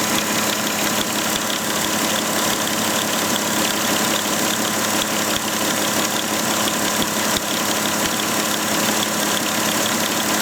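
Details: Volkswagen Touareg engine idling with a busy, hissy top end and a faint, uneven ticking about three times a second; owner cannot determine where the strange noise comes from.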